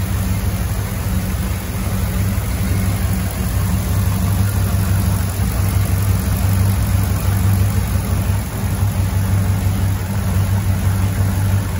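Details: Land Rover Defender 90 with swapped Chevrolet 6.2 L LS V8, Dynomax Super Turbo muffler, AFM/DOD delete, oil topped off, air cleaner fitted, near operating temperature (192°F): deep, even mellow exhaust rumble, no misses, ticks or knocks; smooth normal idle.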